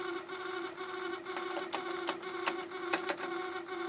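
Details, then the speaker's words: Harman Kardon CD 191 cassette deck before repair, heads stuck up, door won't close, eject jammed: constant hum with uneven scraping clicks about twice a second, nothing happening; cassette transport grinding noise. "i have the heads in the up position which means i can't close the door turn it on makes awful noise nothing happening eject is jammed so i can't"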